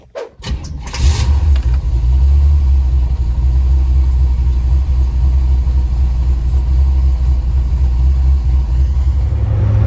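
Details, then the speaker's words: C4 Corvette project car on test drive after wheel, tire and brake upgrades starts quickly and settles into a steady, even deep rumble; fuel pressure regulator working, smooth idle, good throttle response. "the fuel pressure regulator is doing its job the engine's idling pretty smooth now got a good throttle respo"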